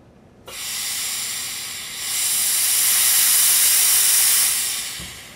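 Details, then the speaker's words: Tippmann 98 Custom Platinum Series paintball marker: a steady, high, airy hiss of pressurized gas escaping; the leak seems to come from the gas line connection into the valve assembly. "you can kind of hear that leak now just from listening to that it sounds like it might be coming from our gas line connection going into our valve assembly"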